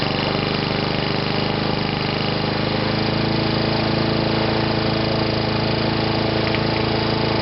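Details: Sovereign lawnmower engine, now self-cleared of smoke, holding a steady, busy, high-pitched drone faster than a normal relaxed idle; it is running a bit fast and is being left as is.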